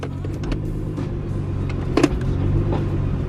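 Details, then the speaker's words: 2015 Nissan GT-R dual-clutch transmission: loose, irregular rattling with sharp clunks over the engine, even when shifting; typical loud, clunky GT-R gearbox noise, not a failing transmission. "this transmission rattles like crazy not that it's going bad it's just a nissan gtr thing that the transmission is just very loud and clunky"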